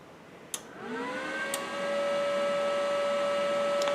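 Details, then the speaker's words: Arccaptain MIG 200 inverter welder on 110 volts at power-on: a switch click, then the cooling fan whirs up to a steady hum within a second and briefly runs before going quiet. Normal. "Okay, so that got quiet, just came on for a second."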